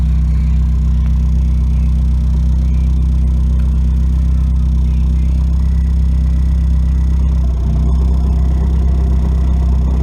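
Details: 1992 Nissan 240SX hatchback, engine running: a rough metallic rattle and scraping that changes when the clutch pedal goes down; shown as a symptom of a bad clutch.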